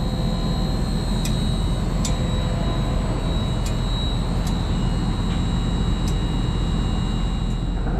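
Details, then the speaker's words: LG Multi V IV outdoor unit after compressor and inverter board replacement for CH29 error, charged to about 24 lb 9.3 oz: new inverter compressor runs with constant deep hum and steady high whine, no rattles or surging, line cold; normal. "All right, compressor is running, got proper charge. That line is cold, that's good."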